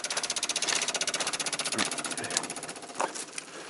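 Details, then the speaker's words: 1995 Dodge Ram 2500 V10, cold no-start: ASD and fuel pump relays chatter with rapid dry clicking about four per second, engine off; 8V reference unclean, intermittent 12V sense signal, maintenance light flickering; cause not yet found. "We'll put the relays back in here. Man, they are chattering away. ASD and fuel pump relay."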